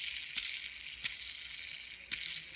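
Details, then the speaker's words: Light, even high-pitched whir from a DHK Maximus RC car bearing, crunchy before and spinning freely after cleaning with brake cleaner, with only handling ticks and no grinding; healthy. "So I'll spray a little bit more brake cleaner. Much smoother. Yeah, really smooth now."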